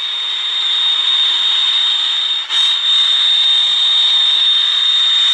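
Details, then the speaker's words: Portable radio picking up a steady high-pitched squeal, around 5,000 cycles, over hiss, caused by interference radiated from a nearby computer monitor in the workshop. "Well, listen to this. You may not be able to hear that. I don't know. It sounds like about 5,000 cycles."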